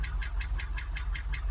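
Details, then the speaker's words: Jaguar XKR supercharged V8 at warm idle after sitting a long time, misfire cleared: sharp regular tick about six a second over deep steady rumble; owner suspects lifter oil pressure; engine knock persists. "Yeah, everything appears okay, but I'm still getting that knock, which I thought it might be just oil pressure up on the lifters or something like that, where it's been stood for so long."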